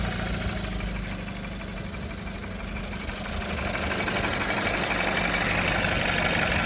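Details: VW 1.5 TSI (150) engine at idle: an even idle carrying a steady, regular light knock of about four per second. The tapping is abnormal and its source is not identified.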